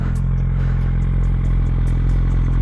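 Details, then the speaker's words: GSXR 600 sport bike idling after a valve adjustment: a light sharp tick about three to four times a second over the idle. It clicks only at idle and when coming off the gas; owner suspects a vacuum system issue, not the valve train. "it's only doing the clicking at idle and when I come off of the gas. Which means that it has everything to do with some sort of vacuum system basically."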